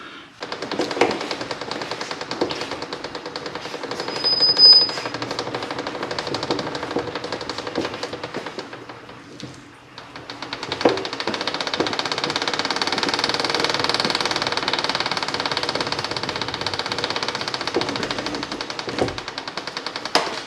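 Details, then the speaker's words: 1972 Kawasaki H2 750 rolled by hand through a full chain rotation after washers spaced the chain guard out about 1/16 inch: rapid, even chain clatter, no longer rubbing on the guard. "So it was a full chain rotation that got rid of my chain hit."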